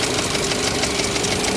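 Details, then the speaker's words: 2022 Mitsubishi Xpander Sport CVT at idle with the hood open: fast, busy tak-tek ticking over a steady idle; the engine seems somewhat unhealthy, and the cause is unconfirmed. "n ngerasa ini kenapa sih suaranya tak tek tak tek tak tek tak tek tak tek, ya emang unit ini kayaknya emang rada-rada ini ya, untuk mesinnya kayaknya emang rada kurang sehat ini."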